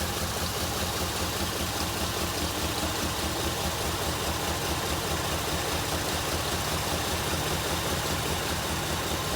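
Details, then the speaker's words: Recently bought 2002 Jeep Liberty Limited with a flashing check engine light, idling with uneven train-like chugging, about two or three pulses a second; engine visibly vibrating more than it should, rough idle of unknown cause. "I don't know if you can see it, but it's definitely vibrating more than it should. It kind of sounds like a train. Chug, chug, chug."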